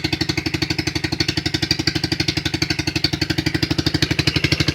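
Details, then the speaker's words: 2008 Highbird 200cc four-wheeler cold idle on quarter choke just after starting: quick, even single-cylinder putter around four beats a second, steady and unhurried; normal cold idle on partial choke. "it's on still, it's on a quarter choke still. Push it all the way down. It's completely off the choke. Idling just fine."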